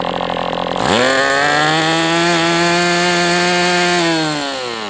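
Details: MDS 68 FS Pro four-stroke glow engine on break-in stand, after carb retuning (idle screw had been tampered with), idle bar plug removed; sharp buzz climbs fast, holds steady at high revs, sags at end near out of fuel; normal running.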